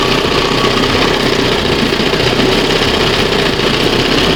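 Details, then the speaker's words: 1971 Johnson 20 HP two-stroke outboard after carburetor rebuild and jet correction: steady buzzy idle holding even without stumbling, picking up properly; owner says idle screw set slightly lean; normal idle. "That's probably the best what this thing's going to get."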